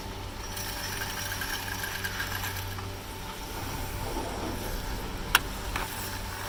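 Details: Poma TB-41 chairlift grips passing fast through the 16-sheave initial hold-down depression tower of Tremblant's TGV Express: a steady, distinctive mechanical rattle over a low hum. This is normal operation.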